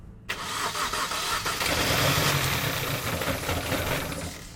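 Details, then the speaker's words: £250 Mini Cooper first start after owner's own timing chain work, bolt tightness uncertain: cranks, catches, then stumbles and shudders unevenly, jutting the whole time; rough misfiring start, cause not confirmed. "That didn't sound fucking good at all. Oh mate, that engine sounds absolutely atrocious. Literally, it just jutted the whole time."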